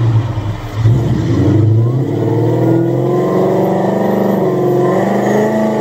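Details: Supercharged Coyote V8 Ford Fairmont on dyno, about 900 rear-wheel hp, new Magnafuel 750 pump on boost-referenced return fuel system: note climbs smoothly and steadily under full throttle, no misses or knocks; plenty of fuel, normal WOT pull.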